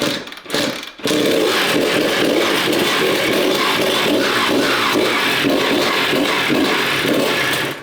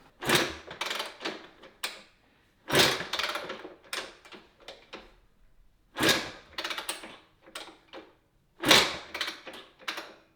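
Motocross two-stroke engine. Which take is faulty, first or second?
second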